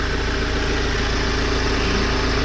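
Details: Ford Transit Custom diesel after fuel filter replacement and priming, clutch pressed to start: steady, even idle with a smooth low rumble, no misses or knocks, no leaks; normal diesel idle.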